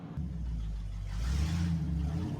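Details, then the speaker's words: 1963 Chevy C10 under restoration on a road test after the front end was torqued: low, smooth road rumble building with speed and no rhythmic wheel knock. The earlier knocking is gone, traced to a wheel bearing that was greased. "So, as you can see, we drove around a little bit. The knocking noise is gone. So pumped for that."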